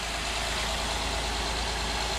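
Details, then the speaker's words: A 2009 Honda Accord V6 idling after its alternator was replaced: a smooth, even idle with no misses, knocks or belt squeal over a constant hiss, running straight and healthy. "it looks good when I'm pretty straight oh yeah it's running really straight"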